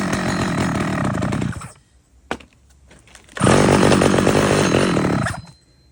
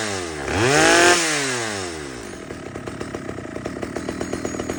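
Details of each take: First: Stihl 011 AVT chainsaw, first start: catches and revs unevenly, drops out twice, then runs rough; carburetor out of tune, fixed by adjusting the low-speed fuel screw and idle. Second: Stihl 011 AVT chainsaw after the low-speed fuel screw and idle were adjusted: following a quick rev it drops back to a fast, even two-stroke idle with steady popping and no hunting or stalling.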